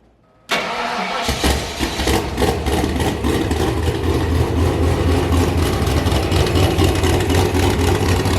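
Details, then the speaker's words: 331 ci small block Ford, AFR aluminum heads, Quicktime turbo kit with eBay 7875 turbo, first run of muffler test before fitting exhaust; fires into a loud, lumpy, choppy cam idle with quick blips, no ticking or puffing. Healthy. "for a race car it's awesome not so much for a street car uh but it did sound super good you could really hear the cam chopping"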